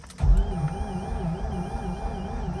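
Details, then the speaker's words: 2004 Mazda RX8 6-speed manual after sitting for 2 years. Sluggish cranking with a slow rising-and-falling whine, about three beats a second, and no firing. A weak battery was suspected, but swapping in another fully charged battery did not help. "apparently this battery has seen better days i'm gonna go ahead and replace it"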